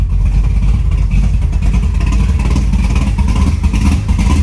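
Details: 1972 Chevy Nova big block V8 with Merlin heads and Rowdy camshaft, just started with 60 psi oil pressure: deep, lumpy burble with rising and falling revs, steady firing, no knocks or ticks; healthy, normal.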